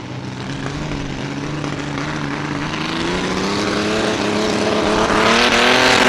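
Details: Mini rod pulling tractor under load on the track: the engine climbs steadily but the beat stumbles and skips now and then. The misfire persists under load, and its cause was not found.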